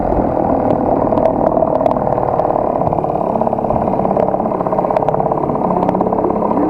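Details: HDX T 2.6 CBMS outboard, first start and break-in, choke pulled, fuel valve and vent opened: small two-stroke buzzing at steady, even idle, no knocks or rattles; normal running.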